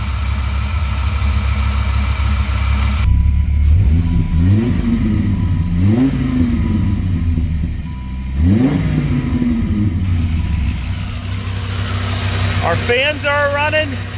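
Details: Auction Dodge Viper V10 that overheated, after corroded cooling-system repair with radiator flush added: deep steady idle with several smooth rises and falls in revs and fans whirring, runs even, no knock or miss; normal idle with revving.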